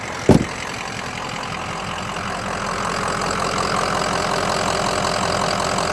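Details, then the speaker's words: 2005 Ford Excursion Eddie Bauer, 6.0L Powerstroke diesel, 4WD, with head studs, coolant bypass filter, 181k miles and no check engine light. After a brief clunk, a steady idle with even clatter and no misses or knocks. Normal idle. "All right, let me let you hear it idle, and we'll take it for a test"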